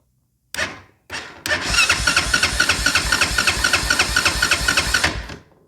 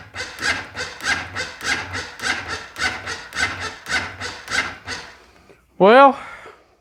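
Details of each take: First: Honda Foreman ATV, no-start repair: after power and ground were confirmed at the solenoid and a new solenoid was installed, the engine cranks strongly and evenly with no clicking or grinding but does not fire. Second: Honda Foreman ATV with a no-start, battery tested low (about 11-12 V) and then charged: labored, dragging cranking, too slow to fire; owner believes the starter is dragging.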